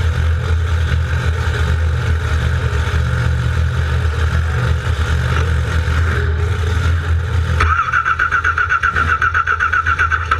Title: NO start oil leak 13 4 13